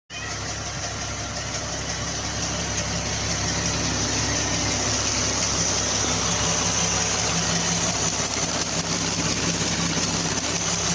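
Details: 2014 Jeep Wrangler 3.6 engine settling into idle: fast, light steady ticking about three per second over the hum from a noisy hydraulic valve lifter.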